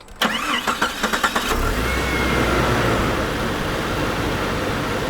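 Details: Jeep with a month-long misfire on startup, after spark plugs were gapped to 0.035 in: about a second of even cranking, then it catches at once and settles into a smooth idle; a normal start.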